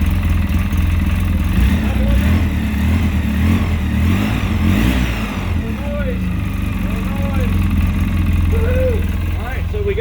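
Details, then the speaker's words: 2013 Polaris RZR 800S after an engine rebuild, restarted after sitting: steady, even idle with a smooth low rumble and no top-end ticking or knocking. The earlier noise is gone, and the lifters are believed to have been the problem, now fixed. "it's been sitting for a minute but start it up I don't hear the noise anymore a great"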